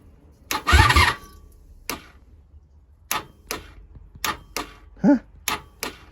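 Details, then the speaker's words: 1987 Honda Super Magna with new battery, after running earlier: single sharp clicks roughly a second apart with no cranking; owner suspects vapor lock, a stuck starter or a drained battery. It later fired on the next push. "the starter get stuck or we just kill the battery something just let loose oh man why are you giving me issues buddy why why all the issues"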